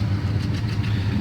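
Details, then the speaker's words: 1975 Chevy C10 Silverado, freshly rebuilt carburetor, after 15 years sitting: low steady V8 idle with even beat, no stumble, tick or knock; idles healthy. "this sounds good i like it it needs to be drove that's what tim was saying this truck needs to be drove"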